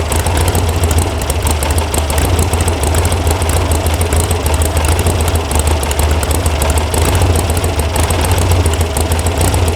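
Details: VW air-cooled sand rail (about 1966) after electronic ignition install and firing order fix: low, loping idle with an uneven throb and no clear knock; the carb mixture screws were backed way out, causing a rough idle.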